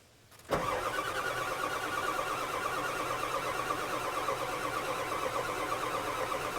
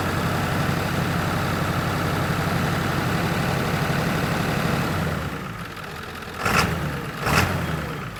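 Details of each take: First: 1997 Ford F350 7.3 diesel that lost power, smoked white and died while pulling a skid steer; steady starter cranking, never firing, as water fills the fuel lines and injection system; owner expects long cranking to clear it. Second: 1997 Ford F350 7.3 diesel after water in fuel cleared: steady, even idle with smooth low rumble, no stumble or miss; running clean, though front tank still has water.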